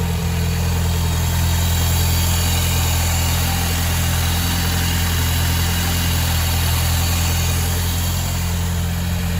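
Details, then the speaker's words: Car engine idling with bonnet open and the air intake hose missing (replacement awaited): loud, steady idle with a deep drone and extra open roar from the intake; intake noise from missing air intake hose. "Donc comme vous pouvez voir, je m'écarte un peu, ça fait du bruit. Il manque la durite d'air encore."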